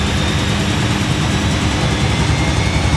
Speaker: Oh no, that's really unbalanced. It fools you into thinking that.